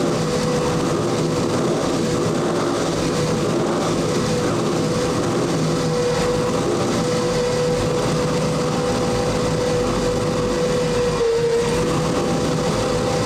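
Strong, even engine note holding a steady tone with no knocks or misses; this motor is running clean and healthy.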